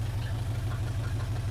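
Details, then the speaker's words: 1980 Chevrolet C/10 Cheyenne square-body truck, first start, carburetor primed with gasoline, loud exhaust: deep, even exhaust burble at idle with a steady beat and no knocking or dropped pulses, running on all cylinders; normal idle. "overall Bally Sonic is running on all L to me even with that alha exhaust"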